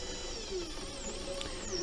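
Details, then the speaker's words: Sainsmart 4040 Pro CNC router with NymoLabs offline controller running a job: stepper whine gliding up and down with faint short squeaks, because the rods and lead screws were wiped clean and not relubricated. "the the little squealing that you can hear is because I cleaned the um the rods after and the lead screws the other day. I wiped them all down and cleaned them all and they won't lubricate again."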